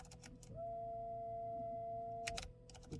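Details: 2006 Buick Enclave CXL 3.6L, key on engine off, front wipers inoperative: motor whirs with clean steady tone, no labouring or linkage clunks; wiper transmission linkage detached from motor, spinning free.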